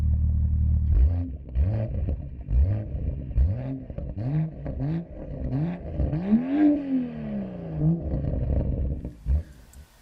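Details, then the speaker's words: BMW M2 with factory M Performance exhaust, Bluetooth-controlled rear muffler valves open so gases bypass the muffler straight out the back; repeated throaty blips rising and falling with throttle, deep open note without rattles; normal healthy exhaust. "as you push this button and it actuates the valves in the muffler and it bypasses the gases away from the muffler straight out through the back and it really turns this car into an animal"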